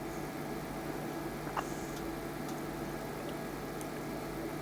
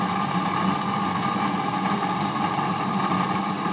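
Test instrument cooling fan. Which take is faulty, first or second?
second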